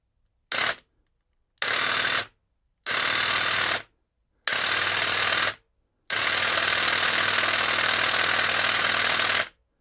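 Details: Einhell GE-CH 1855/1 Li-Solo cordless hedge trimmer, handle back on with the micro switch now held activated after cutting out when lifted vertically: short bursts then a steady three-second even buzz with no cutout; normal running.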